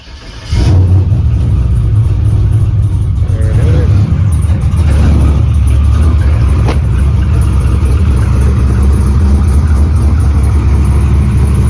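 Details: LS 6.0 V8 truck, unused for about a week, after swapping an old part: catches after a short crank and settles into a steady, even low rumble with no misses or knocks; starts and idles normally.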